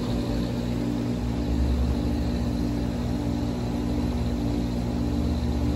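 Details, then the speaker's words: Hayward HeatPro heat pump pool heater running at 78°F ambient after the compressor kicks on, a few minutes after the fan starts: steady low hum with a constant mid tone and no knocks or rattles; running normally. "Normally, it's the fan comes on within a few seconds and after 3 to 5 minutes, the compressor will kick on."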